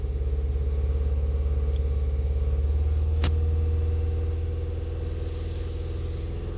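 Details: VW Sharan with fault code P0303, cylinder 3 misfire: a lumpy idle with a regular stumble in the low thrum, about three beats a second, easing as revs drop; one cylinder is misfiring.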